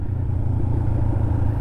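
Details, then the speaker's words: 2007 Kawasaki Ninja 500R twin with an aftermarket exhaust, riding after carb cleaning: deep, even pulsing burble, nice tone but not overpowering, no rattles or misses; not overheating, shifting good; normal exhaust note. "that exhaust is hilarious man it sounds really good for a V2 and it sounds good it's not overpowering but it definitely has a nice tone to it"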